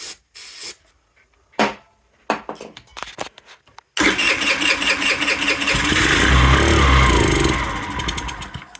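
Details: Chinese scrap-yard scooter: a few seconds of clatter, then the engine catches on starting fluid sprayed in and runs roughly before fading. It only fires with starting fluid, so the carb is to be pulled.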